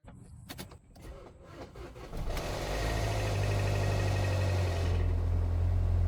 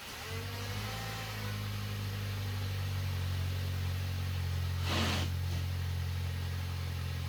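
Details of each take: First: Neglected VW Passat, cold start: cranking, then catches and settles into a loud fast metallic rattle over idle that comes and goes; suspected timing chain tensioner or oil filter drain-back valve, bigger worry possible rod bearing knock; unconfirmed. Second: VW Passat, previously knocking and running poorly, after replacing a cracked intake manifold that was leaking: smooth, steady low hum settling evenly after startup, no rattles or knocking, no faults; normal idle.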